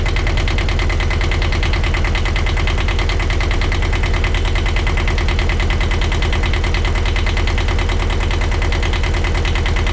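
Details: 1982 Catalina 30 small marine diesel, after replacing the blocked exhaust manifold that caused poor cooling-water flow, with thermostat and water pump refitted: even, regular clatter at a steady low idle with no stumbles. Running healthy.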